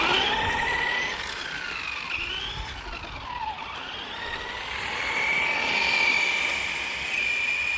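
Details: HG-101 1/10 short course truck, 550 motor on 2S, after fixing out-of-box issues (suspension adjusted, body trimmed from rubbing rear wheels), test run about 19 km/h: high whine climbs and falls with throttle, no grinding or clicking; drivetrain clean.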